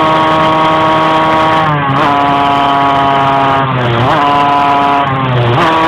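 Revs climb slowly, then sag and dip repeatedly under load instead of pulling cleanly; the engine is hesitating, cause not yet known.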